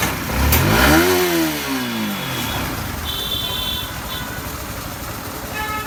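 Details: Yamaha R15 V4 after an engine noise repair replacing the timing chain, camshaft and rocker: a quick throttle blip falls back to a smooth, even idle with no ticking or rattle from the top end. Normal idle.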